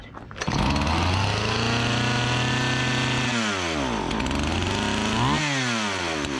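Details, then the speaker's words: Partner 405 chainsaw that stalled on throttle, after repair and tune-up, running without air filter cover: crisp two-stroke buzz climbs and falls cleanly through several throttle blips, no stumbling or bogging; running healthy. "Bueno pues parece que va bien eh Parece que va bien"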